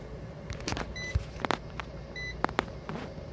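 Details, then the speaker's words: New Craftsman smart charger replacing Club Car DS PowerDrive 17930, 48 V, battery nearly full around 58 V: faint steady fan hum with meter chirps and clicks; amp draw dropped from 12 to about 4 A, charger working normally. "because you hear the fan running it's doing its job these are amp draw amp draw has dropped off to about four amps now just a minute ago I had 12 amps"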